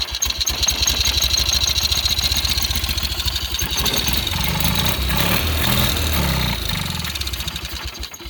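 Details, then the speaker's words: Cub Cadet 1812 18hp Kohler Magnum engine, out of the tractor, after an ignition coil replacement with the throttle cable disconnected: cranks, catches within a second and settles to a running thump around four beats a second. It starts and runs healthy. "It runs. Sounds healthy."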